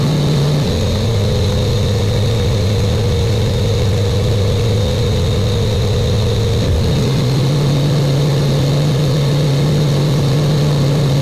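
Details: Buick Grand National with new engine, second 10-minute cam break-in run after first start: steady, even fast idle with a smooth low rumble, no knocks or ticks; normal fast idle.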